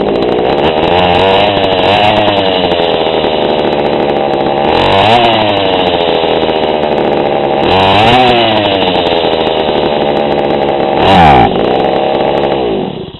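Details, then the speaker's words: GoPed GSR40 two-stroke with 603 carb and TGN manifold, high needle only half a turn out, low at 1¼: it idles okay, but blips flare briefly and fall straight back with no fuel on throttle. The high-speed mixture is too lean. "now it idle's okay it has a little bit of response but it just there's no fuel when you gas it"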